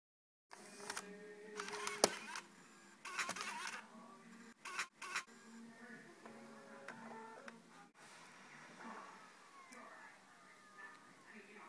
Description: it does this all the time. Its a weird raspy scratchy noise. It happens when I eject CDs and start the computer up.